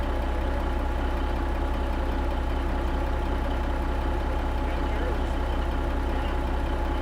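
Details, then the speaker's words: Kenworth K100 cabover diesel at idle after installing a new 8-inch miter-cut exhaust: deep, steady rumble with an even beat around 160 a minute, no knocks or misses; healthy smooth idle, sounds good, runs good, starts good. "I'm fat, and Trisha's got exhaust. Sounds good, runs good, starts good."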